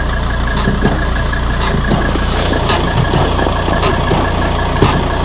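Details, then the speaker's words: 2003 Volvo XC90 D5 at diesel idle: short dry creaks, one or two a second, from the front wheel brake caliper, investigated by stripping and cleaning the front brakes; cause not yet confirmed. "Shouldn't be making that noise. Yeah, definitely not ideal."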